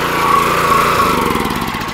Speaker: yeah it's actually working the way it's supposed to now